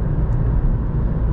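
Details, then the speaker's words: 2013 Ford Fiesta, 99 hp petrol, hard acceleration out of a roundabout in second gear: deep, even rumble with no rattles or misfires; normal healthy engine note. "mean i'm pretty sure you guys will be able to hear that but i just think this car sounds so so good"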